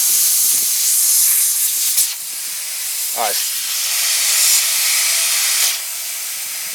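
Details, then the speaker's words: Petrol-engine-driven air compressor pumped to about 85 psi then losing pressure: steady sharp hiss of air escaping; air leak at the compressor unloader valve. "We got up to about 85, and it's leaking from the unloader."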